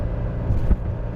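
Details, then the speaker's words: 1983 Mercedes-Benz 240D diesel, four-speed, cruising at 65 mph at roughly 3,000 rpm (estimated, no tachometer), 20 miles into a highway trip. A low, steady diesel hum under road rumble, even and unbroken; normal highway cruise. "Well, we're about 20 mi into the trip up towards the Virginia border and uh the car is doing fantastic. Probably hear it. It's just humming along."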